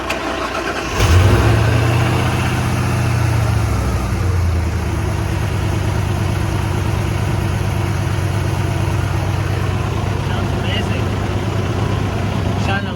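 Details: Engine after an alternator replacement with a Gates belt fitted: quick crank and catch, a short rev flare, then a steady, even idle with no belt squeal; normal start and idle.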